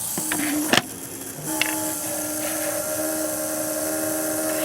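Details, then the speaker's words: Small Hall-effect pulse motor, switched to the Wireless Joule Thief output from a stored capacitor charge after stalling on plain capacitor voltage, and given a spin; thin steady singing tone climbing as it spins up fast and smooth. "But if I now press the Joule Thief button and give it a little spin, hear that? See how fast it's spinning?"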